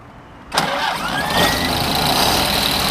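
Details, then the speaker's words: Unrestored original 1932 Ford Model B coupe, 201 cu in flathead inline four, about 50 hp, downdraft carburetor, 3-speed manual; catches at first crank and settles into steady even idle, sounds and runs good. "that. Chitty chitty bang bang. Sounds good, runs good. It's not a powerhouse, but they weren't powerhouses."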